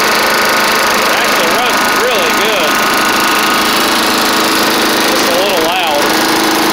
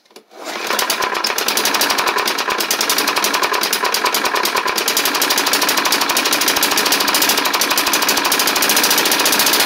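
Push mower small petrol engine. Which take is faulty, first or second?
second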